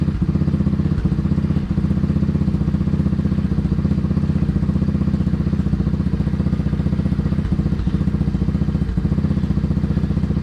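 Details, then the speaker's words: Small single-cylinder engine in a 607 lb homebuilt tractor, after carb jet change to a 17.5, kick-started: strong, even low thump at a brisk steady beat, no misses or sputter; runs smoothly but won't idle below 3000 rpm. "so far that sounds pretty money actually it does not want to idle still below 3 000."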